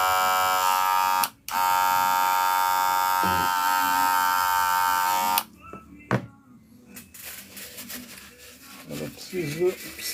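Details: Wahl Senior clipper: loud, steady buzz with a harsh, rattly edge for about five seconds, then cuts off; abnormal buzzing, owner suspects a worn blade needing replacement.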